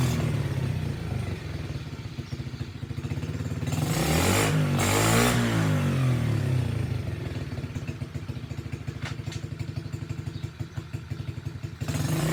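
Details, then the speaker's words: SSR pit bike started with the choke on and a like-new air filter on its carburetor: small single revs up briskly, then settles to an even, steady idle; it runs fine, though the kill switch doesn't work. "so yeah the skill switch doesn't work well i guess it killed itself okay well that's good news it runs"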